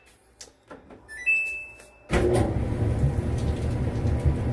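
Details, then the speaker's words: Samsung dryer after replacing the idler pulley, which fixed a loud squeak: a few clicks and a start beep, then the drum rumbles evenly with no squeak, a normal quiet run. "look at that no squeaks super quiet again $10 fix"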